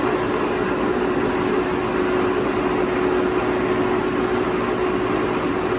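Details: 2000 Toshiba BTD-110.R16 CNC horizontal boring mill, CAT 50 tooling, spindle running: smooth steady mid-pitched hum on one even note with constant airy hiss behind; spindle running normally.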